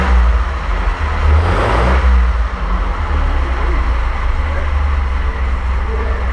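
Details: 1927 Avions Voisin C11, 2.3-litre sleeve-valve six, first start after a rebuild and about 60 years unused; deep, smooth running with a brief rise in revs, then a settled, steady beat with no knocks, running normally.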